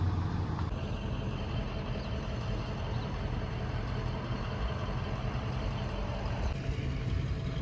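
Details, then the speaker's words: Warm Ford truck idling after the blown oil pump was repaired: a steady, even low rumble with no ticking or tapping and oil pressure present. A normal idle, though oil pressure was lost again later on the road. "I mean, it sounds good. Sounds a lot better. I don't hear it ticking."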